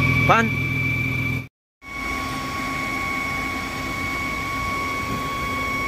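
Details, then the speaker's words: Underhood idle: steady high whistle, unaffected by accessories, vanishes when dipstick is pulled; cause a defective PCV oil separator with leaking diaphragm, not tensioner, idler, belt or AC compressor; patched with bicycle inner tube. "then i got an idea where was the problem is it's related to the emission control system which is the oil separator is defective"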